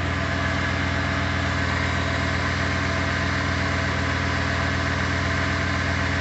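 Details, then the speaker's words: Freshly rebuilt, fully updated 2007 Ford 5.4L 3V V8 at first start, warming toward operating temperature with the fan shroud still off: smooth, quiet, even idle with no knocks or ticks; sounds as it did when first bought, normal idle. "but i can tell you because i've had this truck for three years i can tell you that sounds good sounds real good sounds like it did when i first bought it"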